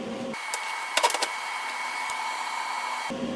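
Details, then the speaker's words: Vulcan MigMax 215 MIG welder, solid .025 wire, 18-gauge corner weld at setting C5: steady harsh, fizzy crackling hiss, good penetration but ran too hot, so turned down to about 3–3.5; heat set too high. "there's the back side really good penetration that just seemed really hot so i've turned it down to about three three and a half where it says 18 gauge"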